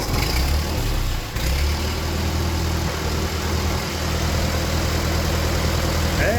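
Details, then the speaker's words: Free old Ford tractor rained on for years, first start after sitting: low, steady idle with an even beat and no knocks or misses, water still dripping from the exhaust; engine settles into a normal idle. "we get an idol out of it maybe kind of all right I knew she wanted to live I think she's gonna be a runner"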